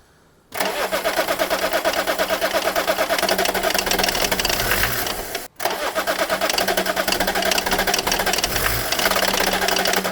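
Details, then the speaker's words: BMW E34 diesel, just refilled with diesel: two long spells of fast, even cranking about three beats a second, turning over but not catching; crank no start, owners suspect the fuel system needs bleeding. "But it could need bleeding now though. I think it's trying better. Do you not? It does try, doesn't it?"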